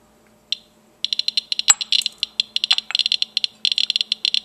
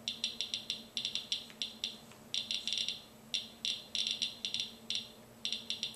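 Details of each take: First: Geiger counter probe touching Vaseline glass, whose radioactivity is mostly alpha: silence, then sharp dry clicks pouring out in fast irregular bursts; readings can be quite high, so one should be careful eating off it. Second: Geiger counter on a check source of potassium chloride salt substitute in a Ziploc bag, weakly radioactive beta emitter: sharp high clicks at random, several per second in uneven clusters, in a quiet room; confirms the counter works correctly.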